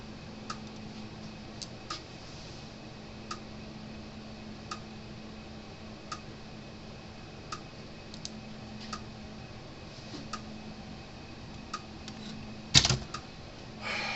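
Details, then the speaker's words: Stafix X6 12-volt fence energizer under repair at full power: faint dry crackling ticks about every 1.5 seconds over a quiet hum, no sharp pulse snap; it charges but never fires. Earlier it half-worked only on half power. "pastor trying to charge up a little crackling sound coming from it so it was getting energy but it wouldn't click"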